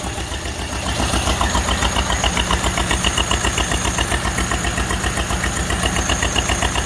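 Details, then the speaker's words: Model A Ford Roadster Deluxe, first run in 37 years after timing set by hand: even, steady firing pulses at a slow idle, about three or four a second, no misses or knocks; idles smoothly, sounds great. "All right. And there it is. Model A running. 37 years later."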